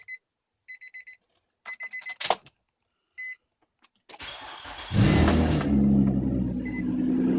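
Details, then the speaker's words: 2004 Nissan Murano engine start on a hoist; after warning beeps it settles into a loud, raspy puffing idle from a cracked header flex pipe on the exhaust downpipe, fixed by welding in new flex pipe: exhaust leak. "the exhaust noise is coming from here you can actually feel it that's the flex pipe for the header and it's cracked"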